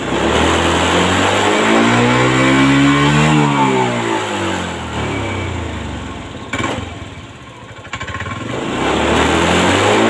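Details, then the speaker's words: 2022 Honda Scoopy scooter that smokes white, uses oil and won't idle: revs climb, sag and nearly die while held open, then pick up once the throttle eases; mechanic points to the fuel pump, not confirmed. "nah seperti ini pegangin yang RPM 60 putus ngedown tiba-tiba mati itu di bagian fuel pump sini ya"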